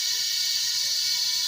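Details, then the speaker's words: Kia Rio A/C with noisy, humming compressor and no cooling: steady thin hiss of only air escaping at the service port, no refrigerant spray; system empty and has taken in air through the removed fitting. "hangin lang ang lumalabas wala nion sumasama soo May hangin na nakapasok doon galing y doon sa bul na ating tinanggal"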